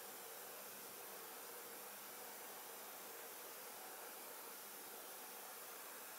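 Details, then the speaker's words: EVGA RTX 2060 Black Gaming graphics card idling in a water-cooled PC: very faint even fan hiss, no rattle, whine or buzz; normal quiet idle. "bon je vous laisse écouter mais ça fait quasiment aucun bruit additionnel"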